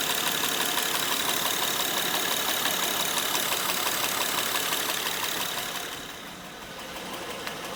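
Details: Honda Pilot 2 engine at idle, heard both hot and cold: steady light, sharp metallic tapping about three per second; engine knock of unclear origin.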